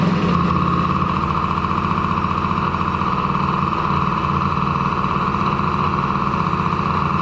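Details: DRR 90 after water pump rebuild (damaged shaft caused seal leak), coolant topped off and started to check for leaks: steady even putter at idle, smooth unchanging beat, no knocks or rattles; normal idle.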